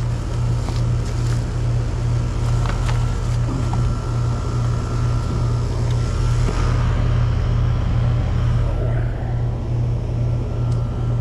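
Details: Mobile home AC condenser with Titan HD capacitor just fitted, powered on at thermostat after it would not run before; steady low compressor hum with fan turning evenly, no clicking or stalling; starting and running normally.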